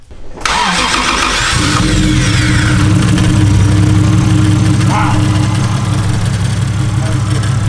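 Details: Toyota 1JZ VVT-i swap first start after hours of no-start: quick crank, then catches and settles into a steady, even idle with no misfire; fault was missing springs between coils and boots reaching the spark plugs.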